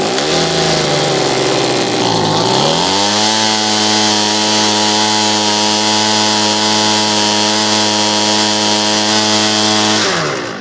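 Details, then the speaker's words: Homelite 26B leaf blower after carburetor and fuel-line repair, started on full choke at full throttle: pitch sags, then holds a flat, strained drone and won't rev out; lean mixture bogging, fixed by adjusting the carb screw. "Now it doesn't sound like it's revving all the way, so we're going to adjust it. Hear how it bogged down?"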